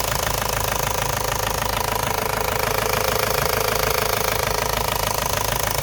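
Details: Ford Focus mk1 1.8 TDDi diesel idling with a sharp, regular knock about three times a second over the steady clatter; engine knocking at idle, later solved.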